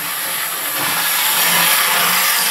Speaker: It's not the fastest thing on the planet, but she does run really well.